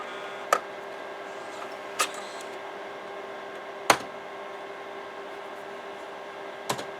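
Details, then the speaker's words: Imation LS-120 SuperDisk drive from a used lot, with a 3.5-inch floppy inserted: sharp, irregularly spaced clacks every couple of seconds over a faint hum; the drive keeps recalibrating its heads and cannot read the disk. "It's not reading at all. It's not reading. Yeah, it's just constantly recalibrating. It's constantly."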